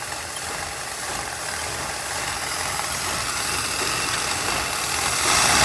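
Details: 1981 Pierre Cardin Evolution 1 with a loose distributor: engine running lumpy and uneven with ragged irregular beat and hissy rasp; running very rich, smoking out the shop, could probably use a tune.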